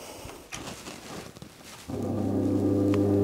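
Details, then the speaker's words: Washing machine drain pump motor, removed and bench-tested on 220 V after a multimeter showed no short circuit; kicks on into a smooth, steady low hum with no scraping or rattle; spins fine and pulls against a finger, though it still needs testing under water with load. "крутится отлично попробовали пальчиком подержать но так чтобы он вам ногти не сломал если он вырывается то есть всё отлично то есть он работает"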